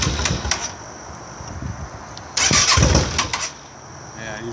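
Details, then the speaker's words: 2008 Yamaha V-Star 650 being winterized, fuel spigot shut off: uneven starter cranking with sputtering bursts that never catch, run until fuel is used up; cranks but will not start, fuel shut off. "No, it's just gonna. You're just gonna crank it a few times till it dies."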